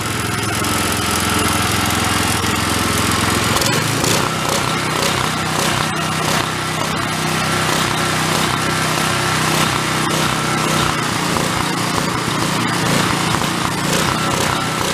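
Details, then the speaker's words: Old Homelite unit (generator or pressure washer) stored about 20 years with Marvel Mystery Oil in tank and carburetor, choke on, throttle mid; loud, busy but wavering beat, rough running from incorrect air-fuel mixture, about half a turn adjustment. "we can jump that air fuel mix a little i want to run it into i want to run it until it doesn't run a rough take about about a half a turn"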